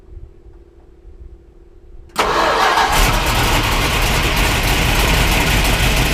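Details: 1973 Plymouth Cuda 340 small-block V8, after replacing the oil pressure line, quiet for two seconds then catches suddenly and holds a fast, even run, starting on gasoline alone without starter fluid.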